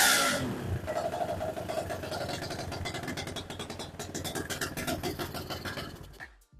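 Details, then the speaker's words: BSE J10 dirt bike after repairs, tank refitted, not yet warmed up, carb still needing tweaking: revs climb and settle in quick rises with no bogging or hesitation; normal revving. "Now, the RPMs build up fine. It even starts, though, the carb still needs a bit of tweaking, but that will do once it's warmed up and the sprockets's on, so everything works smooth."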